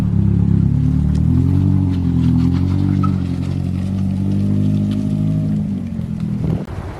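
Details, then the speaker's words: Toyota Starlet 4EFTE turbo engine forged-built from second-hand parts, rings and clearances unchecked, freshly fired; a bit smoky, suspected ring issue; revs up smoothly and settles back with a clean note, no knocking, compression sounds good. Normal revving. "So although we did so much dodgy stuff to get that engine together, it does fire up and the compression sounds really good."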